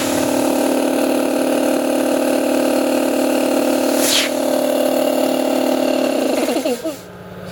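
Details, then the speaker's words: Campbell Hausfeld 60-gallon compressor with cracked motor end casing, bent bracket, missing air filter and temporary oil cap: pump drones at steady even pitch under load, then winds down; runs and pumps air normally despite damage. "the pump does operate very well. Does pump air."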